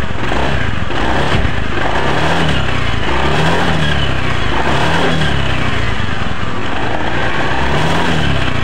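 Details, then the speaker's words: Honda Beat scooter CVT after repair: worn CVT case bearing, caused by a rear pulley shaft seal left out at a previous service, was replaced; engine now runs smoothly with gentle revs and no knocking or rattle from the drive. "Oke Alhamdulillah untuk suara motor Masnya ini sudah halus kembali dan mudah-mudahan awet untuk motor Masnya ini"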